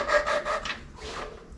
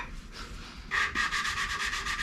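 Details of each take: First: 8BA Ford flathead V8 valve job, hand-lapping a valve seat with compound and a suction-cup stick in cold weather: quick coarse back-and-forth rasping about five strokes a second; the valve is still gritty against a seat not yet seated. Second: Hand-lapping a valve into its seat with grinding compound on a Ford 8BA flathead V8 block: soft back-and-forth rasp at about three strokes a second. The gritty sound is fading and getting quieter as the valve and seat bed in.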